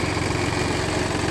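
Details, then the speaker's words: BMW 2 Series diesel after EGR valve replacement and adaptation reset, idling in engine bay with busy uneven rattle and shaky throb, engine visibly shaking; rattle of unknown cause. "it is making that rattling noise."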